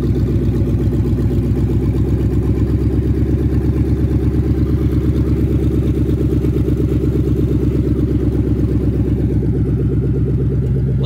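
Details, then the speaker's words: 2000 Mustang GT with a 4.6 two-valve V8 from a Crown Vic, new plugs and coils, first run: steady even throb with loud exhaust pulses, no knocks, ticks or misses; healthy smooth idle, no leaks. "to that thing fellas that thing just purrs man wow"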